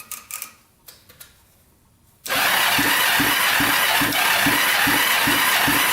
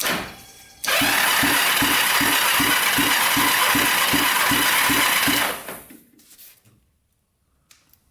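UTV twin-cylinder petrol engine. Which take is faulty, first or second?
second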